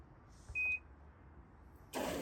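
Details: Black+Decker BPWM09W 0.9 cu ft portable washer on rapid cycle, loaded with laundry: single short high start beep, then rush of water filling the tub.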